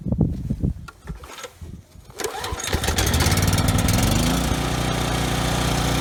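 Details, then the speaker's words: Briggs & Stratton generator engine after carburetor cleaning and governor tab bent to raise no-load speed toward 61 Hz: pull-start catches, steady even buzz, no stutter or hunting at no load; earlier no-load stutter resolved, sounds perfect. "okay good that actually ran better than I thought you know the carburetor looks pretty clean so I didn't think that no load kind of engine stutter was gonna be resolved by cleaning the carburetor but it definitely was resolved you know the engine sounds perfect now"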